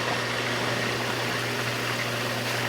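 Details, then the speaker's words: Jacuzzi Premium J Series hot tub after diverter valve parts replaced: steady pump hum with constant, even water rush, no grinding or cavitation, no leaks, diverter turned redirecting water; normal pump running. "no leaks right there. I can turn it, and it's diverting the water. You can hear it diverting the water."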